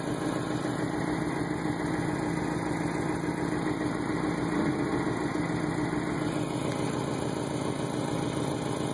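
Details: 1990 Mazda Miata petrol engine idling at spec speed but with an uneven, lumpy beat over a low drone while the whole car and motor rock back and forth; rough idle, owner suspects a possible crank problem.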